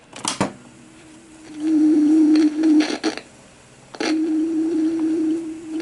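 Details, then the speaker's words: Centennial PR 82 vintage cassette recorder before repair, playing a cassette; tone wavers up and down in pitch while speed stays even — wobbly playback (wow). "The speed sounds steady, but the sound is wobbly."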